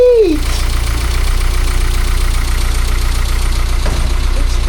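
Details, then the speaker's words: 1978 Austin Allegro idling on full choke after carburettor rebuild and refit: steady, even low idle, soft fast regular patter like a little sewing machine, much quieter than before; normal idle. "It's very quiet compared to what it used to be. Oh, listen to that! Like a little sewing machine."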